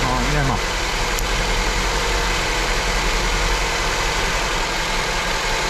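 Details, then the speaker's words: Honda petrol engine at idle after swapping the injectors: rough, lumpy idle with cylinder two still misfiring; injector and its power supply checked OK, cause still unknown. "Nadal mamy problem z zapłonem na drugim cylindrze."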